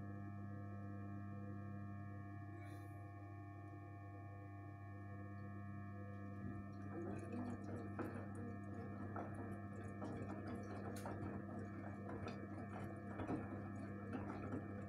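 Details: Gorenje 8 kg inverter washing machine, about 1 year old: steady pure hum with a few fixed tones and faint ticking behind; abnormal whine, cause not identified.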